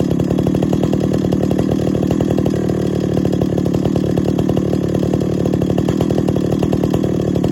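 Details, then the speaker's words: 50-year-old chainsaw at first start and tune after a full rebuild: steady high idle with a light metallic tinging rattle on the exhaust, believed to be the loose baffle inside the muffler. "ah could you hear that the muffler you can hear that rattle that tinging sound that's the baffle i believe inside the muffler"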